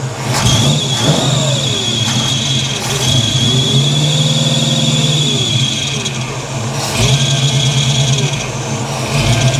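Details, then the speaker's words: 1983 Chevy C10 short box with a 350 small block, after a Holley 4bbl carburetor swap to fix backfiring, idle turned down: repeated quick revs climb and drop smoothly back to an even idle with no backfires or hesitation. Running much better. "all right she's running much more better"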